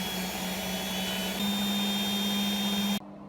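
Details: Hotpoint Aquarius WMA32 washing machine after repair (TRIACs replaced, damaged motor tacho cable soldered), empty load, spin: high steady motor whine with smooth rising drum roar, no knocking or grinding, then cuts off; normal high-speed spin.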